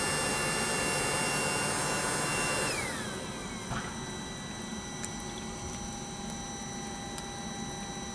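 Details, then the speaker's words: Webasto Thermo Top C diesel water heater bench test run before narrowboat fitting: steady blower roar winds down after a few seconds, leaving a quiet even ticking from the fuel dosing pump; cycling normally. "going through its cycle obviously it takes a little while"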